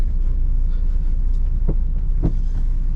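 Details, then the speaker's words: Volvo V70 P2 at about 330,600 miles, driving with worn front subframe bushes; driver's front tyre wears on the outside edge. Road rumble with a couple of dull, isolated thumps from underneath, worse now. "so as you can hear it has it has got pretty bad now"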